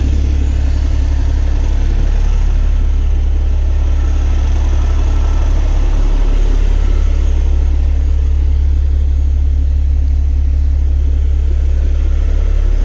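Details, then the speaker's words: Cummins diesel truck after installing CM2250 short block fuel pump with new tappets, plungers and barrels: smooth, deep idle at steady beat about 2.5 pulses per second, no ticks or misses, no check engine light; normal idle. "I just want to let you guys listen to it run. Check engine light. Isn't that nice? Nice to not have a check engine light. Sounds good. Fan go off. Sounds good."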